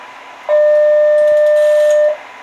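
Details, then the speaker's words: MFJ-939 antenna tuner on an Icom 7100, tuning 80 m at 3.760 MHz from SWR 3.0; steady beep tone about one and a half seconds with faint relay and switch clicks, ending in solid green SWR light; normal tuning cycle. "Now I'm going to hit tune again, and you'll hear a tone. I don't know if you'll hear those little switches and the relays clicking, but let's see how long it takes to tune this frequency to a more acceptable range."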